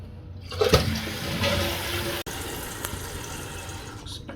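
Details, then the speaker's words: Toilet after replacing a slow-filling fill valve with a new universal adjustable one: strong flush rush, then a steady quiet refill hiss with no squeal or chatter, stopping at the water line after level adjustment; normal fill. "So there we have it. We hit our water line. So I say that's perfect."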